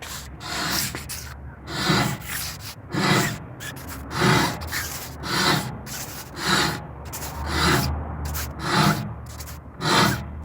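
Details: Car braking: harsh scraping that rises and fades with wheel rotation, brake pads fully worn and grinding metal on the disc, which risks needing a costlier disc replacement.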